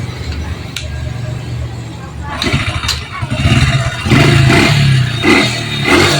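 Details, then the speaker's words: Honda Supra that stalled when hot, burnt part found, coil replaced: engine fires up and answers uneven throttle blips over a steady low beat; runs normally after repair. "Ini udah diganti ya spolnya itu udah diganti. Ini yang lama ini langsung kita hidupkan, Mas Bro ya."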